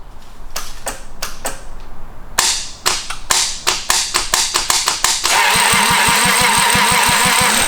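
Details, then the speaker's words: Toyota 2JZ engine out of a Lexus, known rod knock, run out of the car: steady starter cranking about three turns a second with even compression pulses, never catching, fuel pouring out, fuel pump fuse pulled; crank, no start, no fuel supply. "There it is. Alright, one more time. Oh, you just hear it pouring fuel out. I pulled the fuel pump fuse."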